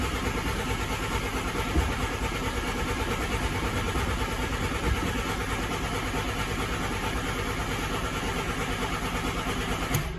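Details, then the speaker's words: 1988 VW Polo MK2 Breadvan, cranking after refitting the cleaned, emptied carburettor: starter churns steadily about two turns a second for ten seconds without catching; fuel has not yet been pumped up to the carb. "So we'll just turn it over and see what happens. Carburetor was empty because I cleaned everything out on it, so it's going to take a while."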